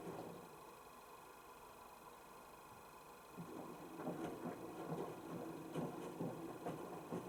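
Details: Panasonic NA16-VX1 inverter washer, 7 kg, 1600 spin, 2009, about 12 cycles after loose parts were tightened: low even hum with soft irregular laundry thumps, no grinding or squeal; notably quiet, normal wash.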